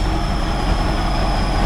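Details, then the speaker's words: 1969 Impala, first run in 20 years after a new fuel pump: uneven rumbling idle with a thin steady high whistle; a vacuum leak is suspected somewhere in the carburetor, but spraying carb cleaner showed no change. "She's a little rough, as you can hear, and I don't know where that vacuum is coming from. It's coming from somewhere in the carburetor."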